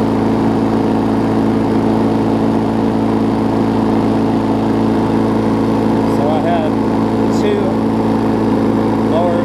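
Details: Push mower, a few years old and a little worn, spring bent slightly to run a touch faster: steady, even single-cylinder drone at constant speed, no misses, knocks or surging; normal running.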